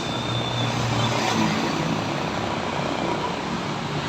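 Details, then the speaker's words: Bottom-load gallon water dispenser pump removed and bench-tested on a 12 V adapter with water connected; steady buzzing hum with rough vibration, motor spins but pumps no water; seal or valve suspected. "tapi tidak bisa menyembur air ya di sini Sepertinya di bagian apa namanya ya E Seal atau klepnya di sini Ya mungkin yang bermasalah"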